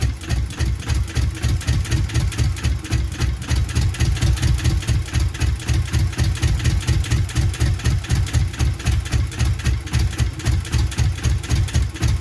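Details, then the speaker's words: Subaru GC8 with EJ207 STi shortblock, first start after injector install: heavy, lumpy chuffing idle about four pulses a second, uneven beat; one bank has never fired, misfiring due to bent intake valves. "It wants to go. So I've lifted the manifold up here because, so this side, what I did was I pulled out the plugs. This side has never fired whatsoever."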